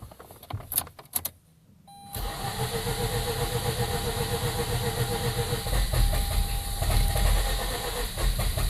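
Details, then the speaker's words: Flooded 2004 Mazda RX-8 rotary during deflood procedure, air pump disconnected; starter held cranking while feathering throttle, uneven sputters, then catches into ragged, wavering idle with check engine light flashing; flooded rotary clearing, rough start. "I'm going to try not to overrun the starter meaning I'm still holding it cranking while the vehicle is running however I don't want to cut it off too soon or the engine May stall out and I'll have to start the process all over again"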